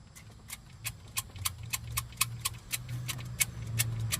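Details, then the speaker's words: 2000 BMW E39 540i M62 4.4L V8 running: sharp, fairly regular ticks three to four a second over low hum from timing chain play; owner suspects failing guide, likely the U guide, needing chains and guides. "You see that in there? That's called chain play. You do not want that."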